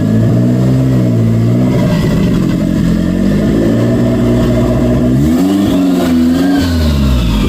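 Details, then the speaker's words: 1992 Toyota MR2 project car after the throttle cable fix: steady even idle picking up cleanly on each throttle blip and settling back smoothly; throttle responsive, idle problem fixed. "it works um I really I really can't say anything bad it feels good uh the throttle is pretty responsive as I as I give it a go"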